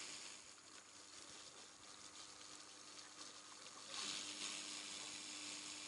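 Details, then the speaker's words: Longfei coolant preheater on a Chevrolet Niva, running with the engine off and spliced into the cabin heater return line: a soft steady hum of the pump circulating coolant with a faint hiss of heating, operating normally. "такой тихо тихо шумит помпа слышно как гоняет жидкость и вот подогрев слышно как он нагревается"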